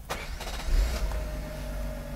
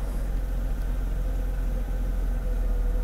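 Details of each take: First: 1991 Mercedes W124 300CE 24V after repair, restarted hot after gear checks: quick crank, catches straight away, settles to a smooth, even idle; clean, healthy hot restart. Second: 1991 Mercedes W124 300CE 24V (M104) before repair, warm: low, uneven, lumpy idle with shaking and a strong gasoline smell; starts fine cold but stalls easily when hot. Rough hot idle.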